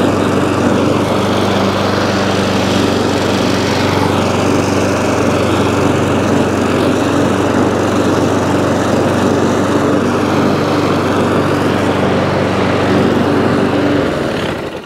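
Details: ATCO petrol lawnmower after deck crack repair: small engine holds a steady, even drone at constant speed for about fourteen seconds, then dies away cleanly; runs normally, though drive cable suspected worn or rusty.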